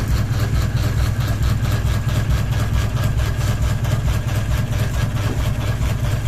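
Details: Ceiling fan running with one blade and a ball hanging off it, steady low drone with an even rhythmic thump a bit over twice a second; wobble from unbalanced blade load.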